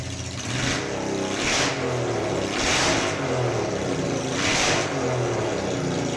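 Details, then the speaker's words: Honda NTV 650 V-twin, off the road about 10 years and first started after storage, petrol on reserve: even, steady engine note with gentle swells of revs, no knocks or rattles; running fine. "I don't know how well that's going to come out on this phone but you can hear it runs quite well bearing in mind device went off the road and not used to start it for 15 years I'd say that's the success"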